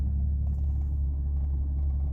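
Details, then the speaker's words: Toyota JZX110, still slightly cold, which had idle issues, earlier puffs of black smoke and coughing: low, even rumble at about 700 rpm idle with no misses or surges; idle steady and relatively smooth. "I've gotten out of the garage and sitting on about 700 rpm idling or relatively smooth so it's not too bad"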